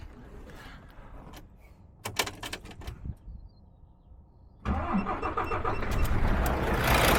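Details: Model year 2017 DAF XF, MX-13 diesel, no ECU faults: after cranking it catches and a quick steady tap of about four per second rides over the idle, caused by broken exhaust-brake rocker parts in the valve gear.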